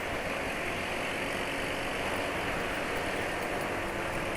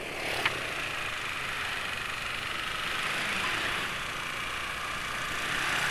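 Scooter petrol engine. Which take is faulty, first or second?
second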